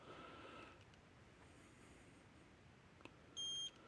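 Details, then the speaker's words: Gallagher Smart Scale 200 after a circuit board repair and battery change: after a quiet hum, one short high beep as the scale returns to zero, its normal ready signal after a lock-on weight test. "I'll turn it back down. Should go back to 0, or the word 0 should pop up, so it's ready for the next animal."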